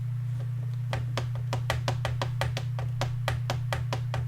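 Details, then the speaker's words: Commodore 64 Ultimate Starlight Edition, early model with 1.0mm keyboard PCB, opened to fix keyboard flex: crisp wooden knocks four or five a second over a low hum as the warped, divided keyboard frame rocks on the table. "you can see you can hear that the frame is not plain. Uh that's not not really a good design."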